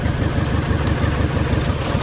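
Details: Mini Cooper idling rough after cylinder head refit: lumpy beat with a recurring dropped pulse from one dead cylinder. Unplugging components to find the missing cylinder; suspect number one, could be injector, coil, spark plug or cylinder, so injector one swapped to four.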